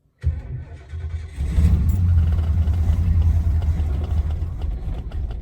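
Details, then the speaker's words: 1972 Lincoln Continental Mark IV with 460 V8, long-sitting, started after switching off accessories and adding fuel: starter cranks briefly, then it catches and settles into a steady, deep, even idle with no misses; normal start and idle. "yes it's live nice nice sounds good excellent come on give bit more of a drink I was very happy with that sounded really good actually"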